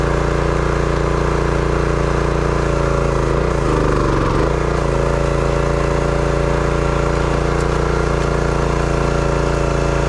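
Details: Brute 30-ton log splitter, Briggs & Stratton engine (9.5 ft-lb gross torque, roughly 5-6 hp), after no-start repair: runs steady and even, briefly bogging around four seconds under splitting load then recovering cleanly; runs well, though seemed underpowered.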